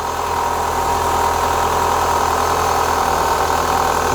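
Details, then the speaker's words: 2004 Renault Clio 182, first start after years; light irregular ticking rattle from the top end around cam and timing gear at idle, bottom end judged fine; top-end rattle. "starting to there's a little noise at the top give it a tiny Rev that don't sound too bad I mean if it was like big ends crank anything like that it would be a lot more rally that sounds all right to me there's something up the top here"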